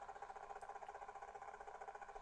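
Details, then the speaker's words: Unbranded budget SDR shortwave radio on telescopic antenna: steady buzzing hum with fast, even pulsing over the audio, caused by the radio's own display; holding the screen to freeze it makes the interference disappear. "That is the screen interfering."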